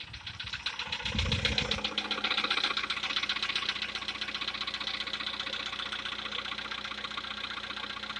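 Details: Light, fairly regular ticking knock about four per second over a quiet idle, from inside a VW Polo Sedan CFNA engine; the owner tests whether decarbonization cures this known knock.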